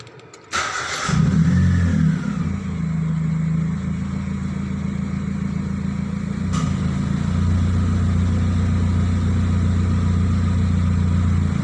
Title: Proton Persona 1.6 exhaust leaks sound